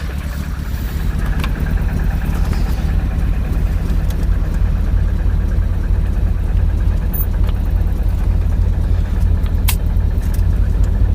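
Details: Skoda Estelle 120 with a Rover K-series engine swap: low, steady idle now holding on all four cylinders without dropouts, after earlier running on three while spark was checked. The engine runs normally.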